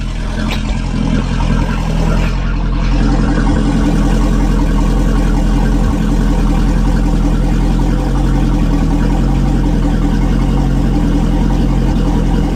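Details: Volvo Penta marine engine after spring commissioning with new water pump, impeller, belts, fuel filter, oil filter and alarm sensors, water running; steady, even low rumble with no knocks, misses or squeals at constant speed. Normal running.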